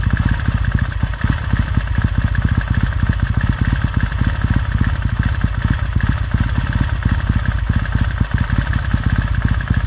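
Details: 1969 Triumph T100C after rebuild, started cold on one kick: steady, even low thump at fast warm-up idle with a few light blips; clean running, nothing knocking or missing, normal idle.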